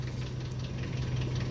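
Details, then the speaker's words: 1991 Nissan D21 ute with a 5-speed at idle; a light, fast metallic chatter from the front of the engine, from a worn single-row cam chain. "that is that is cam chain noise you can hear it's got single row cam chain in this one"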